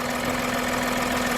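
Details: Steady, even idle with a smooth hum and no knocks, misses or squeals while daily driving; voltmeter reads 13.94 V, alternator charging. Normal idle.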